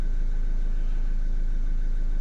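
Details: Renault Kangoo 1.5 dCi diesel, towed in not starting with a crankshaft-sensor code, after repair: even diesel clatter at steady idle with a faint constant whistle, no irregular knocking; runs smooth after repair.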